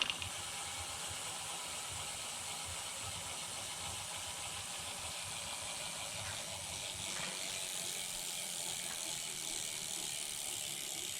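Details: Homemade short-wheelbase bike drivetrain with chain keeper fitted on idler: steady high-pitched hiss and rattle of chain through idler, about 10 dB louder, roughly twice as loud, than without the keeper.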